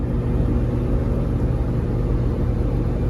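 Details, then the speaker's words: 2008 Lamborghini Gallardo Spider driven on city streets after its front control arm bushings were replaced with Ferrari F430 bushings. Only a steady low road and engine rumble from the cabin; the earlier clicking and creaking are gone. "it's nice and smooth nice and quiet rides great so um very very happy with the results"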